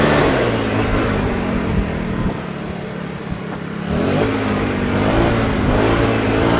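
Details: Troy-Bilt four-stroke backpack blower after a $15 carburetor replacement, blowing grass and blacktop outdoors: even steady drone that dips briefly and picks back up smoothly under throttle; runs great.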